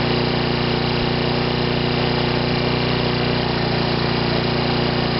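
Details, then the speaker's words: Sovereign lawnmower engine, now self-cleared of smoke, making a loud, constant buzzing drone with no dips or surges at a noticeably high speed; it is running a bit fast. "so I don't smoke you're nothing they're running a bit fast"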